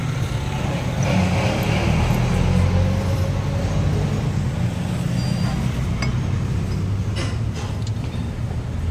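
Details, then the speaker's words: Toyota Grandia diesel at idle after replacing a torn drive belt, caused by a failed idler bearing, with an original Toyota belt; steady low even rumble, no squeal or chirp; runs quiet and healthy. "Original drive belt. Ito yung packing nya. Wala nang ingay yan."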